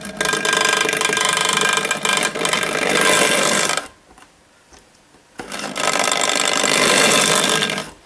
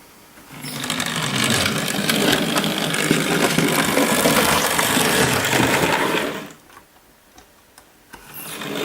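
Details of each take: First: Hornby Dublo LNER N2 tank locomotive on track: a loud, harsh buzzing whirr with rough mechanical chatter, cutting out briefly mid-run; a noisy motor needing bench work, with overlong brushes dragging on the commutator. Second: Hornby Dublo LNER tank model locomotive: small electric motor whirs steadily with light, even track clicking for about six seconds, then stops; a quiet, normal run.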